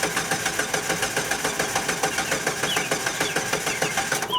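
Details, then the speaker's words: 2004 Jeep Grand Cherokee no-start, weak battery on a jump pack: slow, steady starter cranking at about three and a half turns a second that never fires; tach showed no movement while cranking, suggesting a crank sensor input problem, not yet confirmed. "I did not see the tack move just as a guide that is suggesting an input problem"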